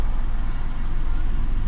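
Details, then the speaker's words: 2017 Peugeot 208 after a wet belt change, coil packs reconnected, starting on first key turn: short, steady, deep, smooth idle with no misfire or ticking. Engine fault code logged from cranking unplugged; runs perfectly. "But, as you can see, running perfect. Absolutely sweeter than enough."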